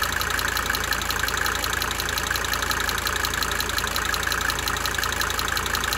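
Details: 1992 Mercedes-Benz 300D 2.5 turbo diesel idling for several minutes, brief talking at start; sharp, regular tick about three per second riding on an even idle, fading in and out: cyclic injector ticking.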